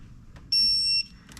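A single sharp, high-pitched electronic beep about half a second long against a quiet shop; the smoke alarm's low-battery chirp.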